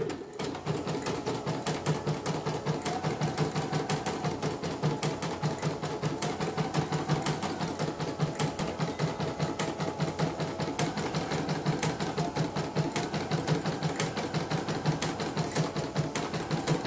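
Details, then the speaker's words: CNY embroidery machine stitching with a rapid hard "krek krek" click on every cycle because a mechanism is set too close; moving it slightly further away stops the noise. "Dari suaranya memang dia terlalu dekat settingnya. Saya akan jauhkan sedikit supaya tidak kesurupan. Bunyi dia bunyi krek krek krek krek krek gitu."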